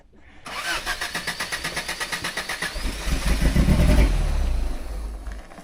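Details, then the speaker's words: Toyota off-roader after stalling on an incline while wheeling, driver says it ran out of gas: starter cranks in a quick steady rhythm, about 3.5 beats a second, without catching; fuel starvation stall, brakes weak with engine dead. "Did you hear it want to die when I was up at an incline? Yeah, you were just running out of power. No. Oh. I'm running out of gas."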